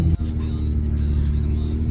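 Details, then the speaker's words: Nissan 350Z idling after camshaft position sensor, new batteries and two bad ignition coils were replaced: steady, even low rumble, smooth unbroken beat, no knocks or misses. Normal idle after repair. "and then now the car works perfectly like normal so here's the keys as you guys can hear it's on"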